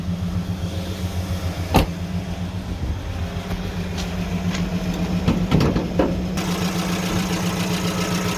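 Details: Evotech 2.7 engine (GAZelle, gas-petrol) at idle: light irregular tapping about two beats a second; worn valve seat likely; suspected engine knock.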